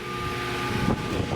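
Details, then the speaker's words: 1938 Robbins & Myers 16-inch Double Diamond pedestal fan motor: a thin high whine over the hum because the rotor runs off magnetic center, caused by a makeshift fix sealing the front end where oil leaks past the bronze bushing. "It sounds a little weird. It's because the motor, or the rotor is not in magnetic center"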